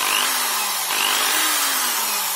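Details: Protool corded screwdriver running unloaded with a harsh buzzy rattle over its hum; owner first suspected bouncing brushes; cause was a bearing loose in its seat, an easy repair.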